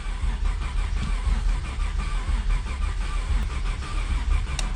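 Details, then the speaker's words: 1991 Ford Scorpio 2.9 V6 Cologne, long unused, cranked on a second full battery: the starter churns in uneven pulses and it never catches. The owner guesses there is no spark and checks the coil and distributor. "okay nothing I'm guessing we have no spark"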